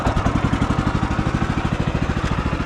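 Even, steady single-cylinder putter at a constant idle speed with no misses, knocks or rattles; this small engine is idling healthy.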